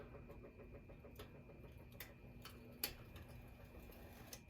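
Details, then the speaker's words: Burnham gas boiler with no heat after a neighbor took a wire off the transformer relay. The call for heat is ended and the vent damper closes normally: a quiet low motor hum with faint irregular ticks as it drives shut. "Okay. Let's end the call for heat. Okay, good. That turns off. This vent damper is closing."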